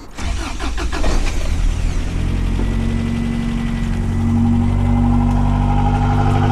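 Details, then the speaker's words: Toyota truck, sat for days, cold start after an intake valve and turbo cleaner treatment: starter catches within a second and settles into a steady, even idle with no misfire or knocking; normal cold start. "not bad not bad so it's not bad"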